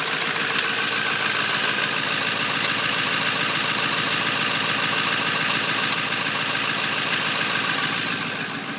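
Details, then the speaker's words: 1997 Ford F250 Powerstroke diesel, cold start at about 40°F: fast, fairly regular light ticking at idle, three or four ticks a second, not rpm-related, gone once warm; truck otherwise runs fine, cause unknown. "it only does it when it's really cold out in the morning um and on first startup and it'll go away when it's warm and pretty much won't do it again until the next morning"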